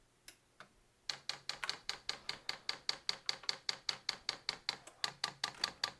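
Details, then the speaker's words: New Vevor diesel heater before its first start, manual priming by holding the controller's left and right arrows: crisp, steady fuel pump ticks two to three per second on a quiet background. Normal dosing pump priming. "All you have to do is hit the left and the right arrow at the same time and hold them down. We're now priming the system at this point,"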